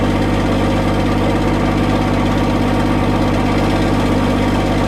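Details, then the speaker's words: Cummins diesel truck idling after cold start with grid heaters plugged in, block heater off; even clatter with steady low drone, no misses or stumbles; normal idle after cold start. "Fired up, no problem there. I think it started a little easier with the block heater plugged in and no grid heaters though."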